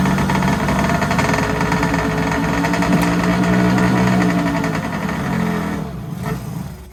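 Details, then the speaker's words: Kawasaki JS440 two-stroke jet ski after crank seal and bearing replacement, starter weak: fires right up, crisp even burble holding steady at idle then dying away, smoky; sounds healthy with no knocks or rattles. "Man, this thing fired right up. That's pretty good."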